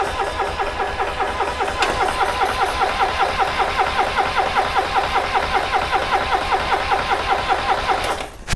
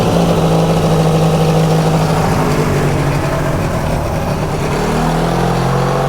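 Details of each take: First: Subaru Sambar kei van engine, sat in a field 25+ years, brake cleaner in cylinder: starter cranks about 2.5 turns per second for eight seconds, never catches; no spark, later traced to a broken plug wire. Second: Subaru Sambar kei van engine after 25+ years sitting, running after a broken spark plug wire was replaced; steady even drone with no misses, knocks or rattles; normal running.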